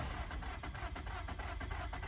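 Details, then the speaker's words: Car with no spark despite new plugs, a starter performance code, a timing chain changed last year that the owner suspects is stretched or off, and a suspected alternator: the starter spins in a quick, even rhythm but it never fires. Cranks without starting. "I could try cranking it for you guys, but it's just not gonna do nothing."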